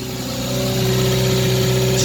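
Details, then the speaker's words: 1989 Renault Super 5 GTR running 100% ethanol, cold start at -5 °C: loud, raspy, puffing exhaust note over a steady hum at cold idle from a hole in the exhaust. "Ouais, il fait bien froid, hein. J'ai un bon petit trou à l'échappement, d'où le bruit."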